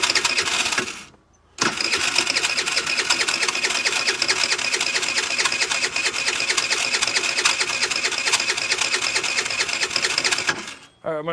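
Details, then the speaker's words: 50cc Ice Bear trike Chinese scooter, no start; fast, light, steady whirring crank for about nine seconds that never fires, suspected vacuum leak at plugged vacuum line near carburetor starving the fuel shutoff. "so we got another vacuum line right here that appears to be zip tied shut it's got a little plastic end in it so i'm wondering if maybe maybe that is creating a vacuum leak and not letting it start"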